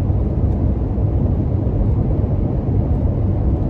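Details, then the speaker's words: Toyota Tacoma with aggressive off-road tires on rougher paved road, window up: steady low tread rumble and hum, a bit louder than stock tires; normal. "can hear the tires on this road and it's not horrible but it is there and if you're sensitive to to that then you are going to hear it"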